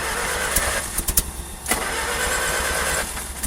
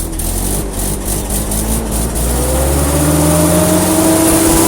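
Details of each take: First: Old carbureted engine in freezing cold, leaking water pump: coughs and catches in ragged bursts, stumbling and fading; hard cold start from poor fuel vaporization, remedied by blowing heat-gun hot air into carburetor, then runs much better. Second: Old carbureted engine in freezing cold, manifold heated with heat gun, new battery: catches quickly and revs up smoothly with rising tone, then settles and shuts off; clean easy cold start.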